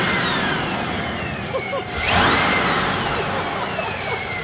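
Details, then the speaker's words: Van V8, just fitted with a Procharger kit (blow-off valve still to come), first start as idle drops: even idle with a faint supercharger whistle sliding in pitch, no gear clatter. Normal supercharged idle. "That's pretty quiet. It's a lot quieter than the Corvette."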